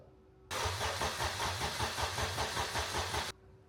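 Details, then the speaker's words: Toyota MR2 with swapped Honda K24 on Haltech Elite 1500 ECU, old fuel, leaking fuel: even cranking near five pulses a second that never catches; crank no-start because ECU top-dead-center angle was set at 70° instead of about 310°. "we messed around with the K24 for a while we could not get it to fire uh turned out all it was was I had to get into the halltech and set the top dead center angle correctly um it was at 70° before it had to be set to around 310 fired right up"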